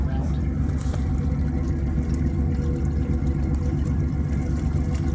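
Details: Grand Banks 42 diesel; steady low thrum with water splashing from the wet exhaust in uneven pulses. Normal discharge; the two sides pulse differently because one exhaust run has an extra 90-degree bend.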